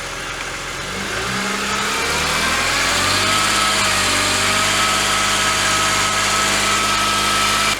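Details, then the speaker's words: BMW E46 Touring with freshly rebuilt S54 engine swap and catless exhaust, first start held at about 2,000 rpm steady for break-in; strong, even note with no knocks, misses or ticking, though the pump sounds noisy. "Open everything. Wow, that sounds good."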